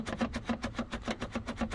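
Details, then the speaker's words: 2010 Dodge Grand Caravan rear sliding door: quick rubbery squeaks, about seven a second, as the side window glass rocks in its dry rubber track over bumps; fix is silicone lubricant on the track. "this is the noise that you hear that's tweaking noise when you drive even on a highway every small bump is gonna make this noise"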